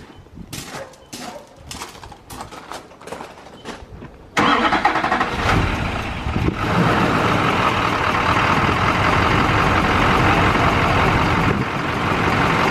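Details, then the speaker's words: LB7 Duramax not run in six years, fresh oil and coolant: rapid clatter cranking, then loud, uneven, rough diesel idle with a little white smoke; sounds better, cause still unknown. "so it sounds a lot better I want to go check and see if it's smoking it's got a little bit of white smoke it hasn't ran in six years"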